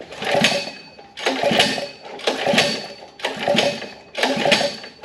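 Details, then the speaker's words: Gas Power Wheels build with 212cc engine replacing the 79cc, fuel confirmed in carb bowl, kill switch on: five pull-start strokes with whirring recoil but no firing; owner suspects no spark. "okay all right let's give a little bit of throttle nothing okay I'm starting to think that we don't have spark"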